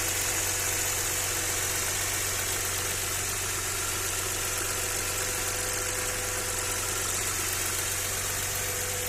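A light, fairly regular tapping at roughly four beats a second rides over a steady idle; a knock is coming from inside the engine.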